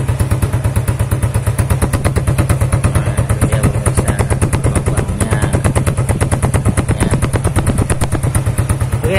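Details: Honda Revo single after its broken, holed exhaust was replaced with a new one: even, steady low thumps with no puffing or ticking; the exhaust now sounds smooth and tight.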